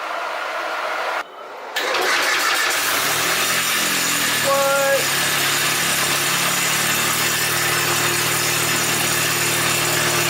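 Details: Nissan Hardbody drift truck's first start after the build: a short crank, then the engine fires and settles into a steady, even idle with a little hiss; running normally.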